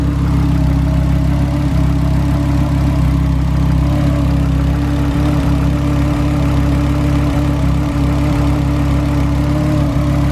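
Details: VW Golf R MK6 five-cylinder FSI idle with misfire, low vacuum and strong gas smell; steady hum with a constant mid-pitched whirring from the engine bay that sped up with revs; source unknown; whirring noise.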